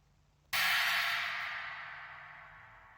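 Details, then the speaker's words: Sabian AA 19" Holy China cymbal with bow fractures and edge cracks, before repair: single crash with trashy, buzzing decay and a small rattle from the cracks; cracked cymbal rattle. "This is the before of the repair job. This is how it sounded before. You can hear the little rattle."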